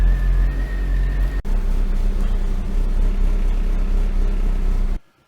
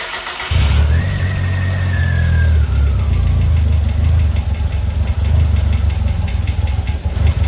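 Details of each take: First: Eagle Talon (DSM) at its first start after a 12-year full restoration, coolant at 144 degrees and rising: a steady, even low idle with a smooth unbroken rumble and no knocks or misses. Normal warm-up idle. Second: DSM Eagle Talon, first start after a 12-year full restoration: fires quickly and holds a deep, loud idle that wavers slightly in speed; idle unsettled, idle bypass screw later adjusted.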